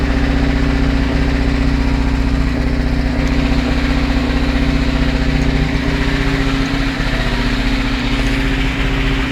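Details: UZAM 412 engine at steady low idle, with a faint, dull knock about three times a second under the hum; engine knock of unknown cause.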